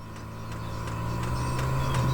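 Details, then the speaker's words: Off-grid heater in a bus, fuel pump mounted beside the frame rail, heard from outside: crisp even ticks about three per second over a low hum while priming the long line from the tank; normal priming. "you can hear it oh that's awesome because that means we've effectively killed the noise from inside the house which I'm stoked about okay so the fuel pump is still priming the system"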